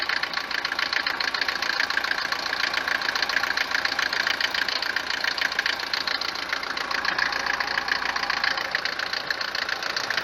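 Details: Mercedes 190 four-cylinder diesel at idle, owner reports knock worst cold: harsh, rapid metallic clatter much louder than normal Mercedes diesel tick; mechanic's suspects include worn cylinders, injectors, pump timing; unconfirmed.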